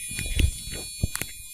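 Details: Used gaming PC with a Gigabyte motherboard, heard through the motherboard speaker cable: one continuous long high-pitched POST beep, then a single short beep, while the PC still posts and boots into Windows 10.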